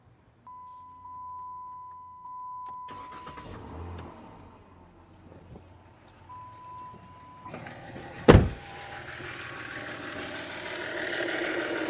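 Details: 2009 Dodge Charger after fuel injector replacement (the old one was leaking from a doubled O-ring): a door chime, then a crank, a clean catch and a quiet, even idle with no hiss or stumble. No leaks were found; the owner hopes the misfire code is gone.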